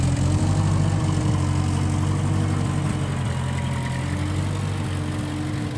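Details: 1955 Massey Ferguson MF65 tractor, run after sitting a couple of years, carb cleaned; owner thinks the Marvel Schebler carburetor needs slight dialing in. Even, low four-cylinder chug at a steady pace with no misses, knocks or stumbles: normal running.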